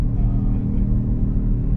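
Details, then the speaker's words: Honda Civic FD automatic (complaint: jerks in reverse and drive, needs warming up; fault code 5) idling: a deep, even exhaust burble with no puffing or ticking leak. The exhaust sounds nice, crisp but not aggressive; normal exhaust note. "Ang ganda ng tunog niya, no? Ayan, ah. Hindi siya, galit na galit, pero, may lutong."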